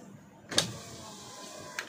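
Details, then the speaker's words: 2023 Toyota Avanza G 1.5 automatic, driver's power window: sharp single clicks from the door as the window motor runs up or down; loose regulator rail bolts. "Jadi kalau misalkan kaca kaca ini diturunkan atau dinaikkan itu ada bunyi teman-teman kayak gini bunyinya"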